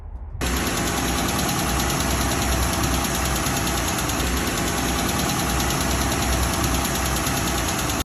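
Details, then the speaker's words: Pentastar V6, running: fast, light metallic ticking from a failing rocker arm, with the ticks coming closer together as the engine is revved; the rocker arm is replaced afterwards. "now you notice that as you rev up the engine you'll actually hear that Ticky noise start to not necessarily increase in velocity but will it will get um the ticking will get closer together basically"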